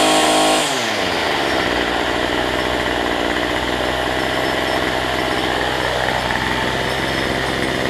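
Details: Cheap weedeater (number 3 of 4) after fitting a replacement Chinese carburetor kit: catches right away, settles into steady even two-stroke buzz with no stumbling or surging; running healthy after carb swap.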